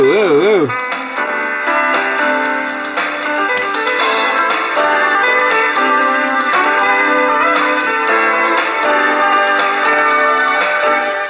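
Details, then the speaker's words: Old Sanyo M7015 boombox cassette playing music with a slow, regular pitch waver each belt turn, wow and flutter from a drive belt flat-spotted after long storage; fast-forward and rewind also lack torque, and a belt change is planned. "you hear the Wow and flutter from this thing because it's been sitting so long the belt has got a flat spot and can hear it every time the belt we can see the belt moving"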